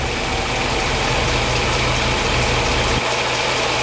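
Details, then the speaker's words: 1977 Mercedes 450 SLC V8, warm, idling slow and deep around 600 rpm versus the specified 750, with a soft uneven pulse; revs run high cold then nearly stall warm, auxiliary air valve suspected. "And we're only doing about 600 revs. They say 750."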